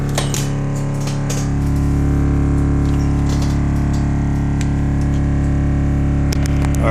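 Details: Alpine MRX-M240 amp on the bench after repair: the fuse contact was burnt (about 0.8 ohm), so the fuse was flipped and cleaned. Deep, steady bass output with no cutting out or crackle after 30 minutes at low-moderate volume, with gain slightly raised.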